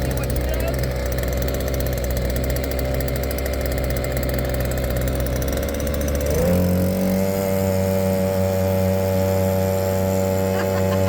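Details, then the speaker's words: Cheap 2.3 HP petrol outboard, a simple weed-whacker-type engine with throttle control: steady buzz settling into a higher, even drone under load with no misfires or rattles; starts on second pull, normal running. "But it starts the second pull every single time. Second pull every time. It worked like a champ. It goes like a champ."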